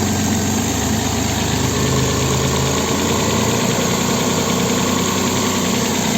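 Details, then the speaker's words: Opel Vectra B V6 (X25XE) idles unevenly with a lumpy, stumbling, shaking beat on both LPG and petrol; diagnostics show cylinder 2 not firing, with cylinder 6 and slightly cylinder 4 weak. "троїть ось зараз перейшов на газ його трясе стоїть і на газу і на бензині"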